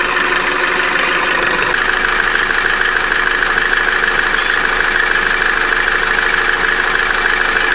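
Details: Opel Corsa D, A14XER 1.4 petrol, 65,000 km, P0011/P0014 codes, cold idle: fast light metallic rattle over the engine from the timing chain until it warms; tensioner roller bearing also whistles when cold.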